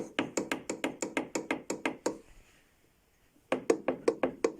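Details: Brand-new LADA Niva, rattling from the rear while driving: sharp, evenly spaced knocks about three a second that pause and resume, traced to the tailgate gas struts rattling in their mounts.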